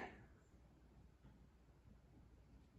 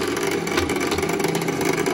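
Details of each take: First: Classic Simplex vibrating fire alarm bell after adjustment, a failed bell from an inspection deficiency brought back by turning the adjusting screw instead of replacing it: loud, steady metallic ring with even hammer strikes; normal operation. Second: Classic Simplex cast-iron vibrating fire alarm bell being serviced; steady dense buzz with mid-pitched ring, hammer chattering rather than striking cleanly; adjustment screw to be turned to tune it in.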